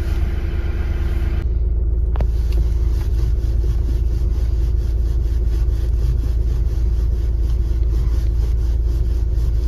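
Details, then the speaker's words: Hyundai i30 driving on a rough road after replacing the part behind the steering knock (tie rods, ends and rack checked fine): steady road rumble, no knocking through the steering. "сказав що нічого не стукає тепер тиша на поганій дорозі коли їхати вже нічого в кермо не стукає"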